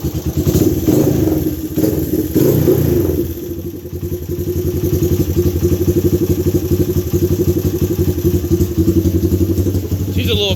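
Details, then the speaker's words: Honda ATC 200X three-wheeler with 214 Web cam, 10.25 compression, Curtis Sparks pipe, started cold: lopey, slightly uneven single-cylinder idle, about four pulses a second, exhaust muffled by the Curtis Sparks pipe, milder than the other bike; normal healthy idle. "Now this one doesn't idle as crazy as that other bike. It still sounds good, but the Curtis Spark pipe muffles it out a lot."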